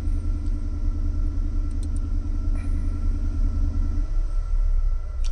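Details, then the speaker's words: 2003 Cadillac DeVille DHS, cold start: a low buzzing drone from the secondary air injection pump runs over the idle, then stops at about four seconds as the system switches off; normal. The scanner shows the secondary air monitor not ready. "And that sound just stopped, which means the secondary system turned off."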